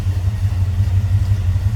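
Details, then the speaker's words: 1967 Chevrolet Camaro Convertible with mild cam idling after start: deep steady rumble with slight lope, no knocks or ticks, smooth normal idle. "See how easily that starts and smooth it runs."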